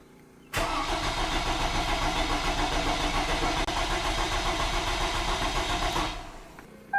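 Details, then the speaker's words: 2002 Toyota Camry 2.4 after engine replacement, injector unplugged so it won't start, cranked to build oil pressure until oil light goes out: even cranking about three and a half turns per second, no firing; normal healthy cranking. "injector's unplugged so it won't start let's crank it over"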